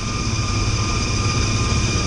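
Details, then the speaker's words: Rooftop kitchen exhaust fan on a commercial building, cold day: steady thin high-pitched whine over the fan's low rumble at start-up, bearings running dry; a Zerk fitting shows it needs grease. "they don't sound too well. There's a Zerk fitting right here, and this thing definitely could use some grease, some lubrication."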